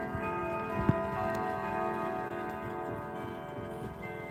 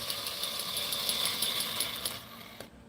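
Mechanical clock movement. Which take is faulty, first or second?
second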